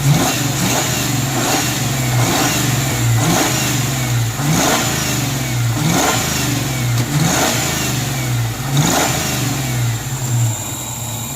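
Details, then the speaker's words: 1994 Ford Mustang GT convertible, previously crank-no-start, after a PCV change: revs surge up and fall back every couple of seconds between about 750 and 1000 rpm, won't hold a steady idle, with stutter and hesitation on throttle blips. "It doesn't want to idle. That PCV may have helped a little. It's been idling for a few minutes."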